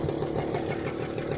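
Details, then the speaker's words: Manet Korado/Puch-type two-stroke moped idling: a steady, even putter at low revs with no popping or hiss. Quiet, healthy normal idle. "to that whisper quiet beast."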